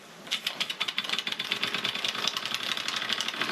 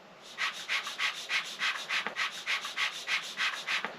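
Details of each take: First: Stirlingkit model beam engine on steam with the modified valve (7.9 mm gap instead of 10 mm), regulator opened, governor uncoupled: quick even chuffs about eight a second, steady rhythm with no stalling; running sweetly. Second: Stirlingkit model beam engine, air blown and sucked through the valve by mouth: airy shushing puffs about three per second; steam leaking straight through to exhaust, suspected faulty valve dimensions.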